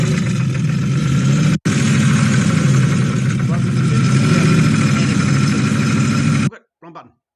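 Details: Toyota 1UZ-FE V8 with an oil pressure issue that blew up the engine, after an oil change and a collar filter with drain-back were fitted: loud, rough running with an uneven clatter about four times a second; the front cam pulley had fallen off.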